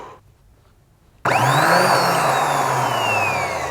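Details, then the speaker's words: Rebuilt Yamaha XS500 starter motor with the shaft and greased bearing refitted, bench-tested outside the bike. It snaps into a smooth, even high whine that eases in pitch: the starter spins normally. "that sounds good and if it sounds good I'm gonna put it back in the bike"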